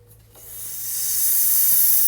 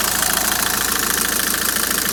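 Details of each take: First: 2008 Citroën C5 X7, air-conditioning circuit being charged: sharp hiss that swells within a second and holds steady, a large refrigerant leak found at the junction of two aluminium hoses; the O-ring seal was replaced. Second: 2008 Citroën C5 at idle after AC hose seal replaced and test recharge with tracer: steady compressor and blower hiss, no cycling or rattle, about 14°C outside; air conditioning cooling normally.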